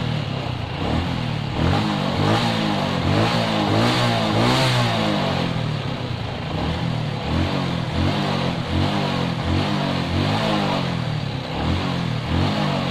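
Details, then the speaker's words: Suzuki Shogun 125 with shorted CDI, running with the battery removed: small single revs up and down unevenly at about four pulses a second, surging, idle not steady enough. "Coba kita tes lagi nah ini tanpa aki jadi nyala teman-teman cuman lansamnya kurang"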